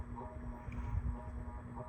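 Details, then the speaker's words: 36-inch Enviro Fan Goldline ceiling fan on medium speed: steady low electrical hum holding one pitch; the motor hums noticeably, acceptable by a laundry area but too much for a bedroom. "Hums only bother me when it's like bad, like horrible, or it's when it's in like a bedroom."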